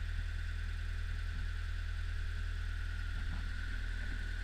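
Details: Old Hitachi UH043 excavator diesel after 16 years abandoned in woods, first start: steady low drone with even beat, no knocks or misses; old engine running smoothly.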